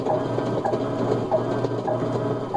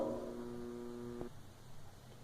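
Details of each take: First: Electrolux LT12 washing machine that hummed without agitating, now after capacitor replacement. Low steady motor hum with regular gearbox click about once a second as agitator reverses; normal agitation. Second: Washing machine motor: a loud, aggressive, steady electrical hum with no agitation, then it cuts off. The motor is energised but won't turn the agitator; the owner suspects a bad motor or capacitor.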